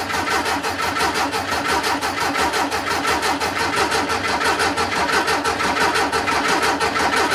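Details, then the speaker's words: VW Beetle after fitting a new Pertronix distributor and coil, fresh gas: steady starter cranking about ninety beats a minute with no firing; cranks but won't start, fuel smell present, owner unsure how far off the timing is. "Alright, well that doesn't sound great. I smell fuel. So she's getting fuel. I don't know how far off this is."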